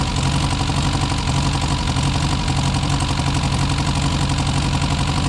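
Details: Four-cylinder car first run after sitting about 35 to 40 years, no adjustments made, choke in use: uneven, lumpy idle with irregular low thump about 87 per minute, occasionally missing; owner suspects timing off.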